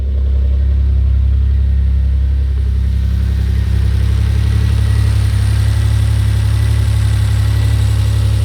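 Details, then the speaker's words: Maserati 222 SE Biturbo, cold engine just started, settles into a steady even low idle, all cylinders firing, no misses or knocks; normal idle. "It goes through a bit of a cycle with the cold start, but it is definitely running and it's running on all cylinders."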